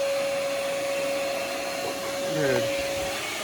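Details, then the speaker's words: Steady electric motor whirr with a clean mid-pitched whine as the pop-up headlights move; they work normally on a car that otherwise has a no-crank problem. "the pop-ups freaking work can you believe that the pop-ups work all right the pop-ups work"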